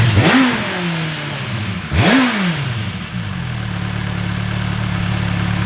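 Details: MV Agusta 1090R that used to bog and die randomly, warming up. Two quick throttle blips rise and fall, then it drops back to a steady, even idle with no stumbling. Normal idle.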